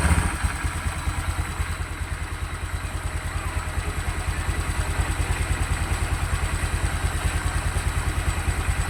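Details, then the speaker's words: Honda Vario 150 scooter with recently replaced RVN Pro piston, idling before connecting rod replacement: steady pulse two to three times a second, even beat, no piston slap or knocking over light valve clatter; piston seems fine. "Jadi untuk piston kayaknya masih aman suaranya ya."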